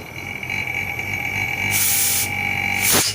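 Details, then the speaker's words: Inverter AC with E1 error, outdoor PCB under test on the bench at about 2 A load: a high, squeaky, mouse-like chirp rises as the inverter compressor ramps up, with a steady hum underneath; this is normal startup behavior. "इसमें जो चूहे की आवाज़ आ रही है तो इसका function ही ऐसा है।"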